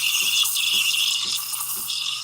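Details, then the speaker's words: Bravo espresso machine steam wand heating milk while small amounts of air are introduced: steady high hiss with soft rhythmic sips about twice a second, no screeching; screeching would mean more air is needed, milk stretching properly. "the goal is where it should be very quiet if it's like screeching um you need to add a little bit more air"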